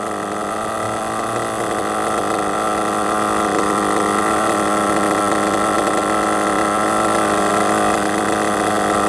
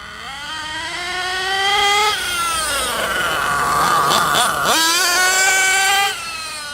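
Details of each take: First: RC truggy nitro engine after needle tuning, high-speed leaned in; steady screaming run like a two-stroke power band then shooting off, no sputter: well tuned. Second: Hot nitro engine in an RC truggy on stock base needle settings before tuning; high buzz rising and falling with throttle, muffled and blubbery at the top instead of screaming clean: running too rich.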